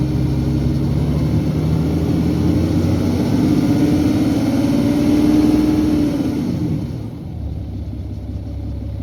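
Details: BMW N57 diesel, 2011 530d xDrive: whining that rises and falls with revs, then a rattly idle from worn timing chain; chain later replaced with main and rod bearings, mains significantly worn.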